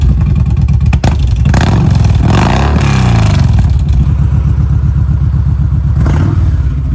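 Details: 2016 Kawasaki Vulcan 1700 V-twin, cold start warming before an oil change: fires with a deep loping beat, revs up and drops back cleanly through a loud exhaust; normal cold start and revving.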